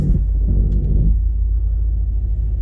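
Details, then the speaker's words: Jeep Grand Cherokee WJ on first drive test: steady deep roar under the engine rumble from the old viscous-style cooling fan engaged, rather than the usual hydraulic fan; normal for this setup. "oh you hear that viscous fan they usually got hydraulic fans in them this one's got the old visus style"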